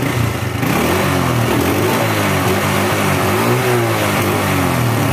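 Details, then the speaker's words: Grand motorcycle engine revving: harsh clattery mechanical rattle under the exhaust; mechanic suspects worn piston and cam chain, to also check camshaft and rocker arms; piston slap and cam chain rattle. "kalau analisa saya ini seher nya sama rantai keteng kita ganti nanti kita cek juga bagian noken as sama Templar apa saja"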